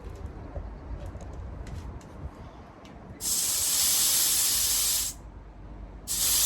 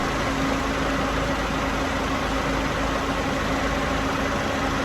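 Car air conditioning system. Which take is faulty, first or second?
first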